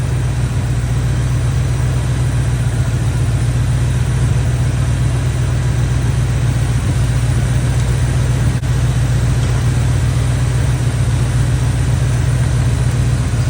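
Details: Chevy square-body barn-find truck, automatic V8 (called a 350), after timing set by ear and a distributor, carburetor and ignition tune-up: deep, even rumble holding a steady idle with no misfire or stumble; motor running decent.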